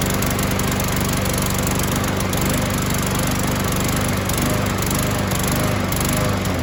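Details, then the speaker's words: 2015 Yard Machine mower, Briggs & Stratton 140cc, after carb cleaner spray and fuel treatment only: steady loud drone with an uneven, lumpy beat; still running rough, partially clogged carburettor suspected over sheared flywheel key. "so either this has a partially sheared flywheel key or it's got some junk in flipping the carburetor um i think it's more of the carburetor because that's is partially clogged"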